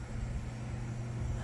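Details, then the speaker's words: 42" Harbor Breeze Armitage ceiling fan on medium speed: a steady low buzz over the fan hum, quiet on low. Owner suspects the missing seal on the light globe. "Runs it runs pretty silent on low, but it runs pretty noisy on medium and high cuz it has to do with the seal on the like load that's pretty much missing."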